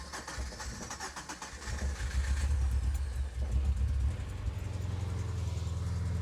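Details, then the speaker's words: Subaru Impreza GC8 WRX EJ22, first start after coolant crossover pipe repair, fuel lines having been removed and drained: uneven stumbling cranking for a few seconds, then catches and settles to steady idle; rough start from empty fuel system. "And if you guys are wondering why the car had to, like, you know, hiccup before it started going, that's because, well, there was no fuel in the system."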